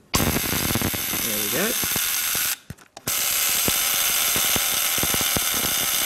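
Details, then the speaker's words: 1925 Ford Model T trembler coil box in tester firing a spark plug from a battery: sharp, high, rapid buzz with a brief break then steady buzzing; coil vibrating and sparking perfectly. "we have a spark working perfectly"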